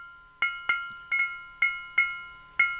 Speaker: this is mostly the glass itself resonating with that much gain what you want to really look for is really some nasty grids banging together or loose elements basically inside the tube